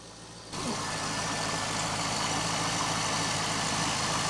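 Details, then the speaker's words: Neglected 180,000-mile C5 Corvette Z06 LS V8, cold start idle: quick repeating belt chirp; the harmonic balancer is shot and needs replacing, a high priority since failure can damage the timing cover and rack and pinion. "that chirping noise and the ls's propensity to eat harmonic balancers we've got to take a look"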